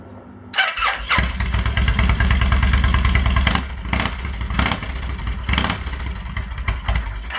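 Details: Kawasaki Vulcan 1500 V-twin after finding a dead fuse and priming the fuel pump: fires up quickly, lopes at idle, then settles lower with a few blips once the choke is off; sounds better without choke, normal idle, smoking afterwards.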